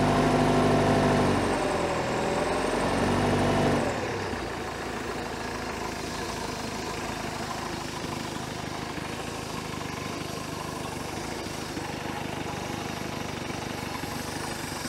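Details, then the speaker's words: 1973 Larson boat, Mercruiser 120hp 2.5L warming after cold start, heat riser warming bimetal spring to open the choke: smooth, even idle at a steady beat that settles as it warms, no knocks or misfires; healthy. "once it starts getting some temperature up in here it's going to warm up that bi metal spring and have things kind of start to open that choke on up"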